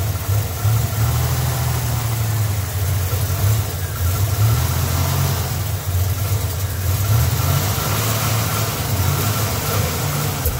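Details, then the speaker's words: 1987 Buick Grand National, sat over 10 years, first start after dropping the tank and redoing the fuel system: low, hunting, wavering idle with no steady beat, ready to stall, smells of old gas; rough idle, cause unknown. "It's idling. It's idling. Doesn't sound very good. Doesn't sound too healthy."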